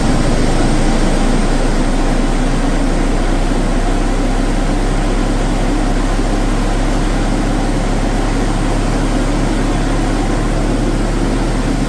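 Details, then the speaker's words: Mazda RX7 FC rotary that would not start due to flooding, cranked with no throttle using de-flood; heavy uneven low rumble with loose pulses as it just catches, smoky and nearly dying, running rough. "so the de flood Works Fair bit of smoke coming out oh it's about to die go on keep going keep going finally nice one"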